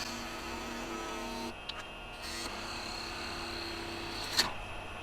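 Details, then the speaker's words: Small cherry scrap spindle turned into a hair pin on a lathe: steady whir with one sharp crack about four seconds in as the skew chisel goes in too far and catches the work near the tip. "That was a catch. That would be going too far in. It's small and it starts to move on you."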